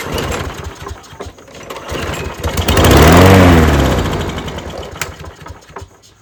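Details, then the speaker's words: Craftsman push mower that sat over 2.5 years, air filter removed and carb cleaner sprayed in: it catches for about two seconds, rises, then dies. It won't run on gasoline alone; the owner suspects low compression or a priming or carburetor problem. "Okay, well that was something. All right, it's not wanting to run on gasoline for some reason. This thing may have low compression."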